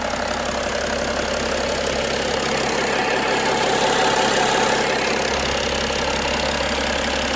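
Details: BMW E90 330d with M57 diesel engine idling, a steady hard knock riding on top at about three beats per second; engine knock at idle.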